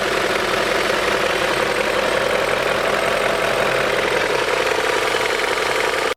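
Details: 2000 BMW M5 (E39) V8, about 160,000 miles, warm idle at 500 rpm: low slow idle with light uneven rattle/tick; VANOS known to need attention, last serviced 2003.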